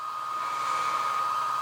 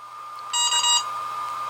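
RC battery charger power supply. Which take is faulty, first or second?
first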